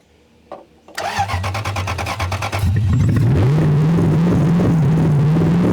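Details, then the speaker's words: Drift car revived after three years, fed brake-clean spray to keep running and fixed by giving the coil 12 V power: starter cranks about two seconds, engine catches and settles to a steady, firm idle; starts and runs well. "dude that sounds so good oh man three years later dude that is so satisfying to hear that"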